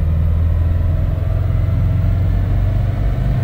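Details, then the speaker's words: Subaru STI 2.6L with stock exhaust and intake and a TD05 20g turbo, on the dyno in 6th gear pulling from low rpm: deep, flat rumble under heavy load; mixture far too rich, fuel washing the cylinders. "za bogato za bogato za boga się leje podwa nam cylindry ściągamy nogę z gazu przelana fura okropnie"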